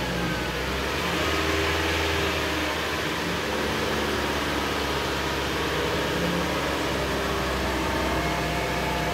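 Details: Mitsubishi Lancer with traction control off, wheel spinning: steady low rumble and hum under dense rushing noise, a worn wheel bearing diagnosed with a stethoscope.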